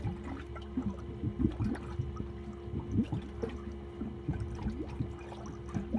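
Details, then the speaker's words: Malibu 23 LSV ballast system, about 12 minutes into fill: irregular gurgling and sloshing over a low pump drone as water struggles into the hard tank, only about a quarter full with gauges at zero while the bags fill fine; cause unconfirmed. "hear the water going into the tank you can also hear it gurgling trying to go into the hard tank over here"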